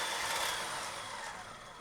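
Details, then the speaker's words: Rebuilt commercial 8 qt KitchenAid 1.3 HP DC mixer, planetary refitted, run up through the speeds: light even motor whine with faint crackling from grease redistributing, fading smoothly, running like a top. "You might hear a little bit of crackling. That is the grease redistributing right here. So, we're just going to run this up through the speeds. Running like a top."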